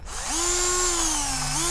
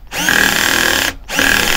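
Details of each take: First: Parkside PBSA 12 D4 12V cordless drill (28Nm, two speeds 0-350/0-1300rpm) under heavy screw-driving test: motor whines to a high pitch, sags and recovers with metallic edge; housing hot, plastic ejected, cooling fan detached from rotor and stands still, drill failed. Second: Parkside PBSA 12 D4 12V cordless drill, 28Nm, fresh battery, torque setting 13 driving screws: motor runs in short bursts as the clutch ratchets and slips at its set torque, working normally.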